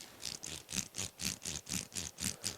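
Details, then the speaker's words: Losi Lasernut U4 4WD RC car rebuilt differential, hand-turned dry with doubled shims and no oil yet: gritty clicking bursts about four times a second, a bit stiff but no binding or jamming; turns acceptably before 20K oil fill. "it's got a bit of a um it's not the smooth as stiff but I'd rather have shims in there than no shims"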